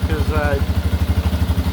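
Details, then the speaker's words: 1988 Yamaha Warrior 350 after restoration, started on choke: even steady thump, no valve tick, slight smoke from oil burning off. Normal idle. "Fire right up. That sounds really good. Hell yeah. Wow. Sounds really good. No valve tick."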